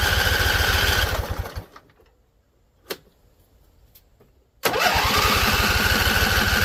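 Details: Husqvarna Z254 mower engine, after a PTO clutch install. It runs briefly on carb spray, fades to near silence and dies, then catches again. Sounds starved and won't keep running; owner suspects flooding or a non-venting tank.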